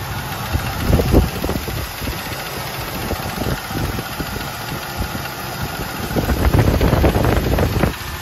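A light tapping repeats at roughly three to four per second over a lumpy V8 idle, keeping time with the engine.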